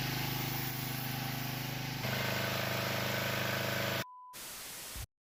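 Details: Ancient power washer small engine after carburetor cleaning, first pull: a small single that runs steady with an even, quick firing beat and no misses or surging; sounds healthy.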